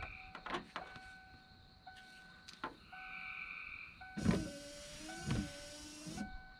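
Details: 1993 Ford F-150, test run right after replacing the wiper motor: motor hum rises and falls with each sweep, about one pass a second, smooth with no grinding or binding; the new wiper motor runs normally.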